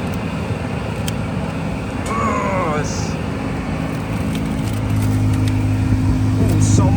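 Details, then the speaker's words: Ford Fusion after a clogged cabin air filter was removed, AC on max to the face vents: a steady, strong rush of air with an even blower motor hum; airflow is strong again, previously weak from the clogged filter. "you can hear the blow motor blowing out very strong very strong air"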